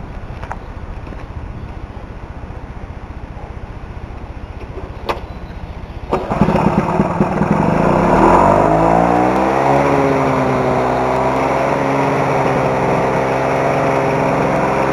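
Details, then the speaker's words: Lawn-Boy two-stroke mower after a carb rebuild and reed replacement, running a 32:1 mix with non-ethanol 89 gasoline: it starts and settles into a fast, steady run with a faint rhythmic knock; the owner suspects rod knock after tightening everything, not confirmed. "I want you guys to listen to it and see if the sound that I'm hearing is a rod knocking because I've went over this entire thing and tightened it and there I I haven't been able to find anything"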